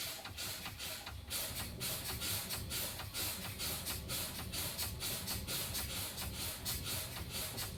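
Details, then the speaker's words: CDL pre-trip brake test with the truck's engine off. The brake pedal is pumped (fanning) to bleed air, giving sharp hiss bursts about twice a second, to trigger the low-air warning and spring brake activation. Normal brake check. "I'm now going to do my low air warning device, spring brake activation. I'm going to fan my brakes."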